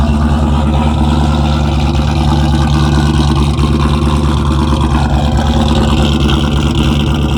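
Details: A 2001 Mustang Bullitt V8, started in winter on a big battery charger after a dead battery, holds a deep, steady idle with an even low rumble and no revving; a healthy, settled idle.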